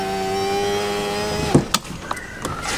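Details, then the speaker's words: 2013 Toyota Avanza Veloz 1.5 automatic, about 117,000 km: power window motor gives a steady whir for about a second and a half, ending in a firm thunk at the stop; power window working normally. "kemudian kita cobain power windownya power window masih oke"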